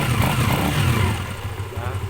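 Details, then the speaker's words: Motorcycle single, cold, after valve clearance reset (previously ticking and weak on climbs): revs up cleanly with a fuller, even beat and no top-end ticking. It is running healthy after the tune-up. "yung tunog niya, bumuo. Yun ang kagandahan pag na-tune up tayo."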